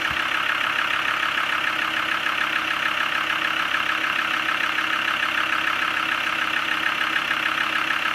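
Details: Land Rover Discovery 2 TD5 five-cylinder diesel, manual gearbox, engine suspected bottom-end failure: steady, even clatter at idle with no misses, knocks or hunting; sounds smooth, normal idle.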